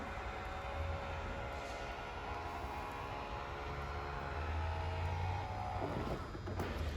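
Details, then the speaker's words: 2021 Wildwood 179DBKX travel trailer, electric awning retracting while the bottom of the wall switch is held; faint, even motor whine that holds steady then winds down as it stops. Normal awning motor retraction. "So we'll press and hold the bottom of the switch and it'll make its way back in."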